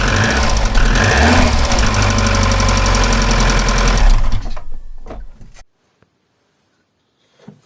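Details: Opel C20XE engine fitted in a Moskvich, cold start before its hydraulic lifters are removed and cleaned; quick, even ticking over the idle for a few seconds from the lifters knocking as usual when cold.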